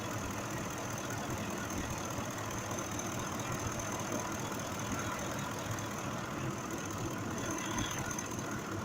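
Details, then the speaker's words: 2005 Ford F-150 5.4L V8 after repair: steady even idle with no stumble over nine seconds, fuel trims correcting; problem was mechanical, not electrical; normal idle. "el problema era mecánico no era la parte eléctrico era mecánico el problema está trabajando bien"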